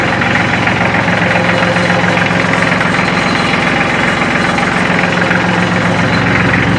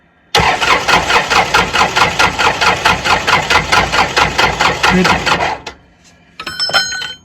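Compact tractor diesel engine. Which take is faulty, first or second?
second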